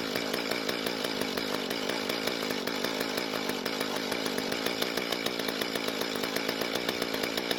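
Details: Mantis two-stroke tiller, long unused, after rebuilding the damaged carb and running conventional mixed fuel: buzzy engine holds a steady, even firing beat with no stumbling or surging; running healthy.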